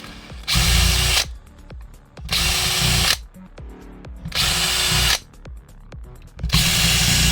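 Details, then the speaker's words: Specna Arms Prime Series airsoft gun, stock gearbox with four bearings, Dark Matter motor and .135 stock spring: four short whirring bursts with a harsh, whiny edge. Gearbox whine; improper shimming suspected from the sound, not confirmed. "But from the sound of it, I don't think it's shimmed correctly."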